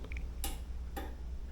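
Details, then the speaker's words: Genie garage door opener with an upgraded Series II wall console in lock (vacation) mode: pressing the button gives two sharp relay clicks over a low hum, but the door does not move. "there's like a relay clicking inside the garage door opener so that further you know takes it out of the loop"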